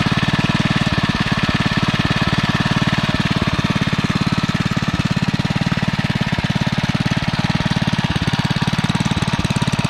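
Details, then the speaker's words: Single-cylinder engine on a finished REO Trikeabout after a new homemade flywheel key and NOS points and condenser, running until it runs out of gas; steady even chuff about 3.5 beats a second, no popping or misses, starting to come down slightly; normal running. "start running until it runs out of gas sounds like it's starting to come down a little bit"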